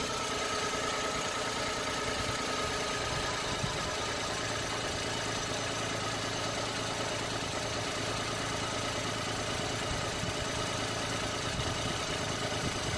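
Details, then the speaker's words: Every van at idle after repair, with the AC compressor refitted: quiet, even idle with a smooth steady hum and no squeal, knock or chirp; the earlier noise is gone and the owner declares it fixed. "I think that's whoa just drop the car I think that's done yeah I'm calling it it's fixed"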